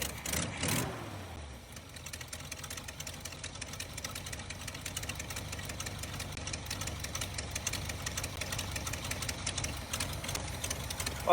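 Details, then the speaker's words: 1977 Jeep CJ5 AMC V8 running unevenly with irregular ticks and pops over a low rumble while timing is adjusted; leaking, junk quadrajet carburetor blamed, oil pressure and charging fine, new carburetor to be sourced. "carburetor is just bad sounds good though yeah the carburetor's garbage"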